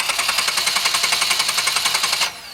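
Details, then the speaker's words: 2013 Ford Focus with a no-start problem, with the new starter installed: the starter is triggered by jumping its terminals, giving fast, even whirring pulses about nine a second for two seconds, then a clean stop. The starter is healthy; the old starter was the fault. "If that happens and it sounds just like that or something like that, then that means your starter's good and you don't need to replace it. Your starter's healthy."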